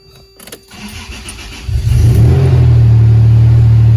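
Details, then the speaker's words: Supercharged Toyota truck ("Ole Red") startup: the starter cranks briefly, then a loud, deep, raspy idle like a little NASCAR, because the exhaust is rusted out. "the exhaust is pretty much rusted out on this. That's why it sounds like a little NASCAR."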